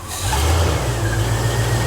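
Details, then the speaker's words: Rebuilt junkyard 1995 Cummins 12-valve P-pump diesel, started after the first chilly night: it catches and revs unevenly with a lumpy, stumbling low beat for two seconds; rough running after a cold start, which the owner suspects is just the cold. "it's probably just cold it was kind of cold last night"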